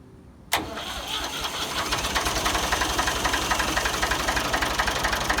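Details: Ford 2000 tractor, sat unused for an unknown time: brief crank, then it catches at once and settles into an even, steady diesel beat; an easy cold start, a good engine.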